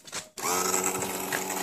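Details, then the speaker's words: Evinrude outboard, power trim pump sucking air: trim motor whirs with wavering, rising, straining whine as air mixes into hydraulic fluid with bubbles; bleeding the air off lets fluid pump past and trim work again. "fluid right there and the air bubbles on it and whatnot that's where she sucking air and when you bleed that off that lets your air out and the fluid pumps past the air that just came out and she'll go working"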